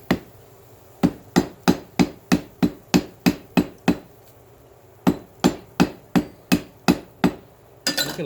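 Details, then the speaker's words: Hammer forge welding of steel cable for cable damascus, first weld: sharp, ringing blows about three per second in two runs, crisp and solid with no dull thud, showing the forge weld has taken. "can literally hear how it goes solid. Get some of that on there."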